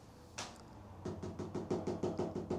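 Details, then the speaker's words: 2010 Chevy Impala: quick, even plastic clicking from the dash, about six per second, no engine noise behind it; failing blend door actuator, a cheap plastic motor that tends to go out easily. Power steering also grinds when turning. "that noise just in your dash. It sounds like leprechauns having battle, or, you know, fish fucking, I don't know, call it what you want. It's a very annoying noise for plastic motors that tend to go out pretty easily because they're plastic."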